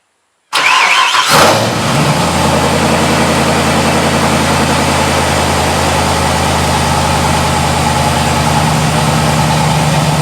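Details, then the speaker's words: Mazda RX7 starting after the density sensor vacuum line plug was refitted (it had been revving to 2,000 rpm at start): brief crank, catches cleanly and settles into a steady, even idle with no raised speed; running right. "Alright, so the motor's back to running right. I was back down."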